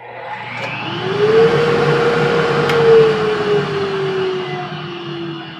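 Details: Grizzly shop dust collector after removing the failed factory remote and fitting a 120 V single-pole switch and green LED: motor whirs up to a smooth steady hum, no rattle or grind, then winds down evenly; runs fine.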